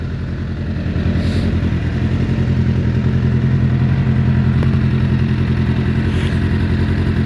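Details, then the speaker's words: Suzuki Bandit 600 under crash repair, choke off after brief warm-up, after oil and filter change on a jumper box; idle thumps about 3.5 per second but stumbles and splutters, owner doesn't think headers are blowing, cause unknown. "I don't think it's blowing out the headers. I don't think it is. It's just a wee bit spluttery. I don't know why that is."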